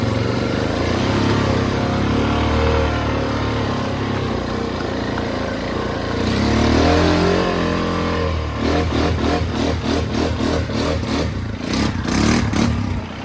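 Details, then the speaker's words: Used Honda, loud engine note rising under load but strained and choppy near the top. It won't rev freely and has no power or speed, a bog that the owner says isn't like a carburetor bog; the cause is unknown. "It's not like a carburetor bog, but up top it doesn't want to like rev freely, it sounds like. I don't really know how to explain it. It just has no power, no speed."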